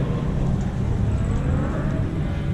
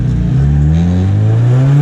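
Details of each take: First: Drift car at event: lumpy, uneven engine note that hunts and stumbles; running badly because the vacuum hose to the MAP sensor had come off, leaking vacuum. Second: Drift car after refitting the MAP sensor vacuum line that had come off and fixing a leaky rocker cover gasket: strong, even engine note rising and falling smoothly with throttle, no misfire or hiss; normal revving.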